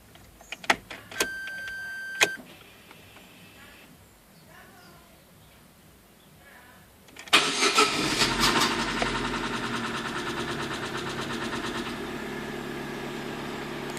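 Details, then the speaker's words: Chevrolet Corsa 1.0 8V VHC on start-up: clicks, then rapid metallic tapping over idle that stops after about two seconds and later returns; stops without alternator belt tension, main bearing suspected. Knocking at cold start. "já deu para perceber agora de primeira o barulho começou e parou depois de um tempo ele volta"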